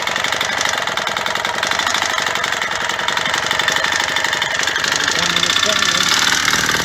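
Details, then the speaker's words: Yamaha DT125R two-stroke after rebuild with new main bearings and seals, first restart: hard uneven banging under rattly idle that doesn't settle; owner fears crankshaft failing or head problem, unsure; engine knock. "Right well there's plenty to be getting on with but I don't like that banging it sounds like there's something wrong I mean maybe I did something to the head or something maybe maybe I just don't know what that sound is all about but it sounds to me like the crank shafts about to dr"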